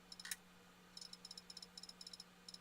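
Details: Failing hard drive in a 2012 laptop: faint sharp ticks in quick pairs and small clusters over a quiet hum, repeated head clicking while Windows shows it working and a repair attempt fails.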